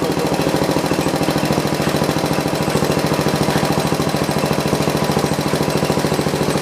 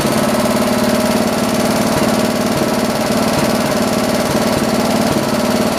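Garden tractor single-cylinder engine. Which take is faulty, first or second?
first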